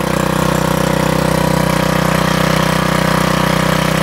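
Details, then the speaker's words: MTD wheel edger repowered with a 79cc Harbor Freight Predator engine, new 31-inch belt, linkage adjusted; started on choke, steady even single-cylinder putter at quick idle, no misses or knocks. Normal idle. "Let me start it up for you. Choke. Sounds good."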